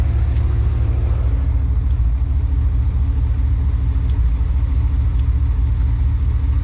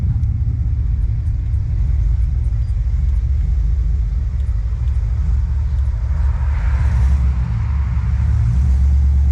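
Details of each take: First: High-mileage 21-year-old GMT800 Chevy Silverado/GMC Sierra 1500 V8 just fitted with used long-tube headers: deep rumble with uneven, stumbling idle beat, a cylinder occasionally missing; misfire, owner suspects a bad spark plug boot, unconfirmed. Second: First start-up of a high-mileage 21-year-old GMT800 Chevy Silverado/GMC Sierra 1500 V8 with used long-tube headers just installed: deep, steady rumble, brief throttle rise near the end, even firing, no ticks or knocks; normal.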